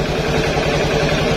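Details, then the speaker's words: Honda Beat carburetted scooter with the new safety switch on the pulser wire set to off, started on the key: steady, even putter with no misses or knocks, running normally. Normal idle. "sekarang Coba kita hidupkan ini kondisi apa posisi saklar posisi off kunci kontak kita hidupkan motor hidup normal"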